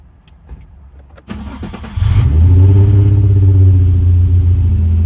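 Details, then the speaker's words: Car after clearing an O2 sensor code with a DollarFix DF65 scanner, engine started: brief crank, catches and settles into low idle with a slight uneven pulse; rough running, owner plans spark plug work, cause unconfirmed. "So you guys can hear there is like a thing, but the thing went off. We're gonna change the cylinder, the spark plugs and all that."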